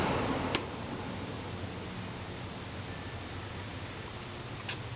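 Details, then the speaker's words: Upstairs-system blower running in fan-on mode before a heat-mode startup, after installing a new Honeywell Focus Pro 5000 thermostat: an even rush of air with a faint high whine and no rattle or scrape. Normal. "Okay guys, I'm going to sit all on the box here and go do a startup in heat mode here. It's running in fan on right now."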